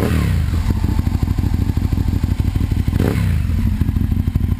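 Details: 2001 Aprilia RSV Mille R race bike, Rotax V-twin, 3200 km, new Power Commander and battery, loud heat-wrapped exhaust; lumpy, loping beat with blips that climb and fall back cleanly, no knocks or rattles, running really good.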